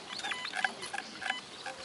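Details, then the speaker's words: Metal detector over a buried test coin with a stone placed off to the side rather than directly on it: faint, thin chirpy squeaks come and go, a weak signal from the offset target. "значи камъкът не е точно върху монетата ами е по настрани"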